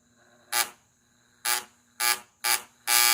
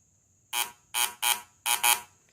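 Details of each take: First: VW Fusca (Beetle) distributor cap test for rough, oscillating idle and misfire: harsh, ragged spark bursts at cylinder 4's pin, with foam forming and even smoke coming off it; current leaking through a faulty distributor cap. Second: VW Fusca (Beetle) with rough, oscillating idle and misfire: continuity buzzer tested from inside distributor cap pin to the outside spark plug wire outlet gives five full, clean beeps with no dropouts; this cap pin conducts properly, water only at the bottom.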